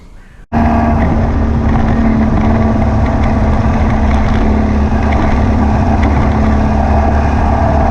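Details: Air-cooled VW beach buggy (Prowler body) on a road test after new plugs, leads and distributor arm: a loud, uneven, stumbling beat. It still misfires and pops under acceleration, and the owner wonders about overfuelling. The cause was a blocked idle jet in one carburettor.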